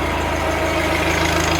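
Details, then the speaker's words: New Holland with a non-original Wisconsin engine and a bad starter, cold-started by electric start: even, steady low thumping exhaust at idle with no misses or knocks; runs great, normal idle. "Listen to that exhaust. Sounds awesome. Runs great."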